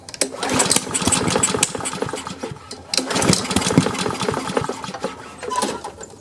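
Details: Free Craftsman self-propelled push mower, before repair, started on choke: catches and runs unevenly, sputtering and surging without settling; rough running, needs carburetor cleaning.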